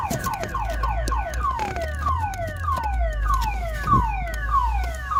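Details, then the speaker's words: 2007 Ford Focus towed in with a no-start: falling electronic chirps about every half second over a low rumble; the faulty aftermarket alarm is sounding and preventing starting, and the fix is to disconnect it via its fuse or wiring. "This car come by tow truck, it doesn't want to start. Oh, and the alarm is messed up."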